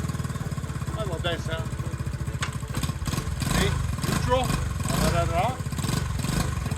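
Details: Honda CT90 after a clutch replacement on a clutch that previously didn't work and pounded into gear, on a test ride: steady low thumping single-cylinder note rising as it pulls away and shifts, no harsh clunks; healthy.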